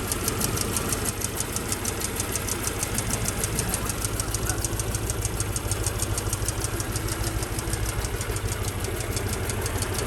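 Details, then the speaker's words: Mercedes S55 AMG bought cheaply from Copart, after its first short drive then parked: steady idle with a fast light ticking about three per second over the engine note, source not identified. "then we parked her and she started making a sound she made a really bizarre sound listen to the sound all right listen to this"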